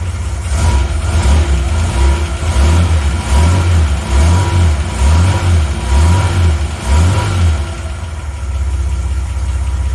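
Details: 1980 Reliant Scimitar GTE SE6A restarted in the workshop after sitting over a month: low engine drone swells and settles a few times at idle, roughly once a second, then evens out; running normally.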